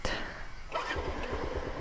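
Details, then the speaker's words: SZR 150 first start after timing chain repair: engine catches quickly and settles to an even, quiet idle with no chain rattle or ticking; the earlier first-start noise, caused by the timing chain, is gone. "yan, tahimik na siya. Wala ka nang maririnig na ingay. Dahil nga timing chain lang pala yung may problema, kaya ganong kaingay yung mga nakaraang araw."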